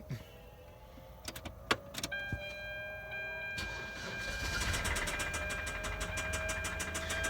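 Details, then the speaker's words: Auction car that had been sitting, started on a jump box; uneven, tippy idle with quick light tapping about four times a second, a top-end tick of unknown cause. "see what it is well it is tapping not what you hope for"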